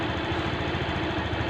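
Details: Honda Beat FI scooter being repaired for a dead charging system (battery drops, dies when charging fails): steady even low putter at idle with no misses or knocks, engine idles healthy.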